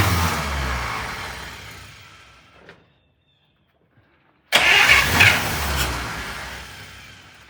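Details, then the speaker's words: 1951 Buick near parts-car status being revived, choke propped slightly open; engine fires quickly, runs up smoothly, dies, then catches again strongly, healthy start with no misses or knocks. "It's uh This car usually fires right up."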